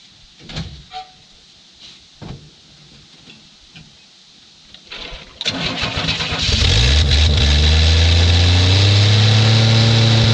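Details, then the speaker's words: 1967 Chevy II Nova sitting 30 years, first start on gas poured into carburetor, leaking radiator: a few cranking stabs then catches and settles into steady even deep idle, no knocks or misses. "so well there we go we have a uh a running vehicle"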